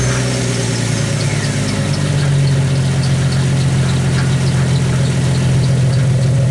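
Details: 1991 Jeep Wrangler YJ exhaust at idle, recorded off the tailpipe: steady low drone with faint metallic ticking, loudest on first start; rattle from an unwelded baffle; new muffler and cat delete to follow.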